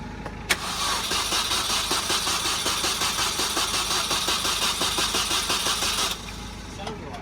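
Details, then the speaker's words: Supercharged Mini R53, first start attempt after the engine was reinstalled, fuel gauge at an eighth: the starter cranks steadily but sluggishly, about three compression beats a second, and never catches; a poor connection is suspected. "Sounds a bit slow. Just sounds a bit slow, the crank."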